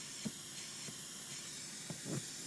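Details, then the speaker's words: Mercedes S500: faint steady hiss under scattered soft clicks and knocks as rear seat belts are buckled; air leak in the automatic rear headrest pneumatic line near the center rear shelf, so the outer headrests don't rise. "but you'll hear that there is an air leak so the two outer ones do not come up and leak you can tell is coming"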